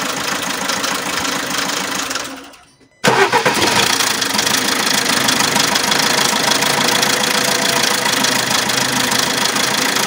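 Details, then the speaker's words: Alfa Romeo MiTo 1.3 Multijet diesel: loud, fast, uneven rattle at the front of the running engine near the timing chain, with timing synchronization and oil pressure fault codes; stretched timing chain. "it has a engine noise a very loud engine noise here near the timing chain"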